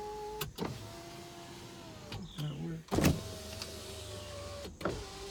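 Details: 2003 Hyundai Sonata 2.7 V6 automatic, engine not running (broken timing belt), about 187,000 miles: driver side power window test, steady motor hum with smooth even whine during glass travel, clean stops; window works normally.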